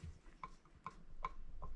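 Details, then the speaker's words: Peugeot 103 moped cylinder head rocked on a flat surface plate (marble) in a flatness test: light, sharp clacks about every 0.4 s show the face doesn't sit flat – warped head, needs resurfacing (sandpaper, figure-eights). "On entend claquer. Donc ça veut dire que toute la surface ne plaque pas sur le marbre. Donc il faudra la rectifier."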